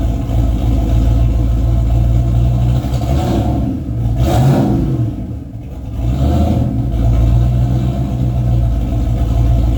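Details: Race car with 351W V8 and transbrake, transmission newly working but only about nine quarts of fluid, not yet topped off, so driven gently without building boost; loud revving dips and stutters unevenly as throttle rises, engine stumbling, cause not found.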